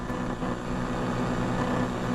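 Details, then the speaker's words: Ham radio shack audio chain with Focusrite Scarlett 4x4 interface, boom mic and amplifier: steady low electrical buzz with fixed tones that changes as apps move on screen, computer suspected as source; ferrite beads failed to fix it; ground loop hum. "amplitude noise I hate noise and it looks like it the source is the computer because you hear when I move these apps around sound what's on the screen bugging me"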